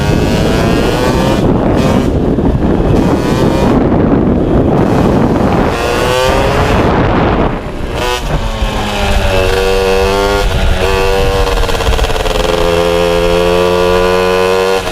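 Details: MBK 51 two-stroke moped: buzzy note climbs and falls with each throttle blip, then holds an even idle; now runs cleanly.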